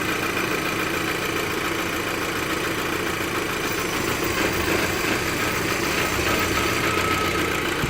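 Uneven, lumpy idle with an irregular shake of about three pulses a second, typical of a lean vacuum leak at the dipstick seal.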